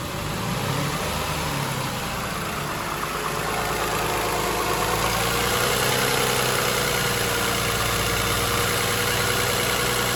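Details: 2007 Toyota Highlander 3MZ-FE V6 at idle: a fast, fairly regular light rattle about four per second over the hum; the owner wonders if it is an exhaust leak, cause unconfirmed.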